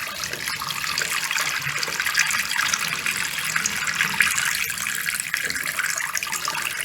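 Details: Newly installed farm-style waterfall faucet, previously high-pitched from too much pressure; after slowly opening the supply valve just one or two turns, smooth steady water hiss with no whistle, quiet normal flow.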